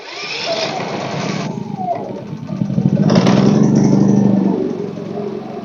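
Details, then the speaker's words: Pulsar inverter generator after freeing an intake valve stuck by gummed old gas. It catches, surges briefly, then settles into a steady, smooth hum with Eco throttle working and power output restored. "on there we go it smooth out Eco throttle Eco throttle's working"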